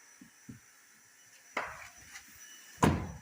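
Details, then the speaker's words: Fiat Uno car door after fix by tucking and folding a part: light clicks then two solid thuds as it shuts, door rattle gone; slight remaining noise is just a small rubber piece. "aí ó acabou o problema Acabou o barulho"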